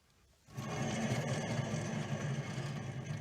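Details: 2009 Ford Taurus rear hub spun: rough, churning grind with an uneven rumble; worn rear wheel bearing.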